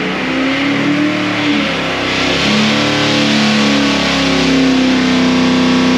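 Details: 408 ci small-block Chevy sleeper on dyno, ported Holley Street Dominator intake, 800 CFM Quadrajet, Progression Ignition distributor: hard, clean full-throttle pull with steadily climbing pitch, no misfire, pop or knock; about 480 hp, 494 lb-ft.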